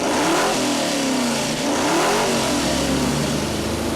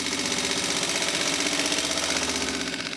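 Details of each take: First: Rebuilt junkyard Mopar 360 small-block V8 on the dyno revs up strongly and settles back with an even tone, no knocks or misses; it revs freely and sounds healthy, with good oil pressure and stable water temperature. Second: Junkyard Mopar 360 small-block rebuilt on a budget, on the dyno: an uneven, stumbling beat about three a second with a harsh, choppy idle. Something was apparently set wrong in a hurry and corrected, then it runs well.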